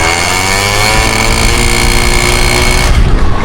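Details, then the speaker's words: Honda Dio scooter, direct-wired without battery, riding: loud strained buzzing drone holds flat pitch without climbing, then drops abruptly; engine bogging and limiting, owner suspects carb. Engine bogging under load. "Kailangan ito ng carb, hirap siya. Rinig yun naman sa takbo, pakinggan nyo."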